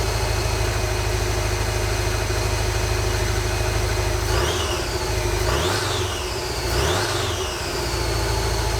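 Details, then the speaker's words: 1986 Volkswagen Vanagon Westfalia, automatic: uneven, lumpy idle with a few throttle blips; after a couple minutes it misses, smokes a lot and runs rough. Engine believed to need a complete rebuild. Rough running. "I've driven it probably two miles and after a couple minutes of running it starts to miss smoke a lot runs pretty rough"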